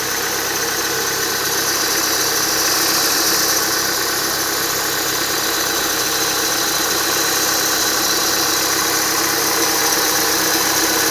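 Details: Renault Duster, appeared after 52,000 km: constant high-pitched whistle over a steady idle from the accessory drive belt; replacing the upper idler did not cure it, lower idler and belt not changed; drive belt whistle.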